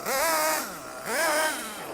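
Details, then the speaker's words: Nitro RC engine, high-speed needle one turn out from base, lots of blue smoke from exhaust: throttle blips where pitch climbs lazily and hangs before falling; slow soggy acceleration from rich mixture burning excess fuel. "it is accelerating but takes some time because he needs to burn a lot of fuel before you can go off that's how you know it's running too rich"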